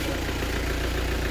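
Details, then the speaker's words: Hyundai Santa Fe diesel after replacing worn injector copper washers, oil filler cap opened at idle: smooth, even low rumble, no misses, knocks or puffing; no blow-by gas, normal idle after repair. "Let me open the oil cap What do you think? There's no bro-bye gas"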